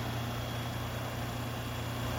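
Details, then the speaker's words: AC not blowing air: steady low hum with faint watery hiss, motor trying to kick in but failing; outdoor compressor spinning; bad capacitor diagnosed. "you hear that humming noise is trying to kick in but he's having trouble to do so"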